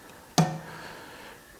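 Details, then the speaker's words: Tractor-pulling engine's small fuel injectors for a single cylinder on a test stand at slow simulated rate: two sharp metallic clicks about one and a half seconds apart, injecting every 2-3 seconds with small idle-level fuel; normal operation. "You can hear it clicking a little bit now. It is at the moment only a single cylinder which sometimes, respectively only the small injectors of a cylinder, ... ... which inject once every 2 to 3 seconds"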